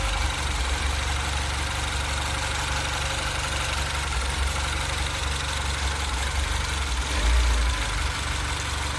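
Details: 2008 Mini Cooper S (N14) idling with an uneven, lumpy beat and a small swell in revs near the end; rough, slightly surging idle, cause unknown.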